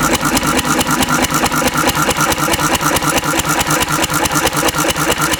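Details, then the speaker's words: Antique Cushman Cub 4-stroke 3 hp governed stationary single on about 90% Zippo lighter fluid, mixture richened: slow lumpy heavy chuffing about two beats a second with black smoke and backfire; running rich, close to flooding. "There's some nice big black smoke clouds. The backfire. More black smoke."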